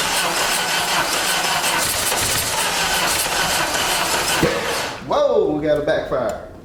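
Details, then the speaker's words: 1989 Dodge Daytona from a junkyard with no fuel system hooked up, gas sprayed in: steady cranking, then a sharp pop and a sputter; backfire while cranking, and it needs real fuel delivery to run on its own. "we're gonna have to get some real fuel going through it uh in order for it to uh actually crank and run on its own"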